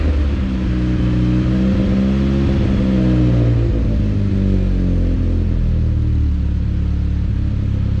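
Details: Chevrolet Cobalt SS started after an oil change and oil life reset. The engine catches and revs up, then settles back to a smooth, even note with no knock or tick; normal idle and revving, running healthy.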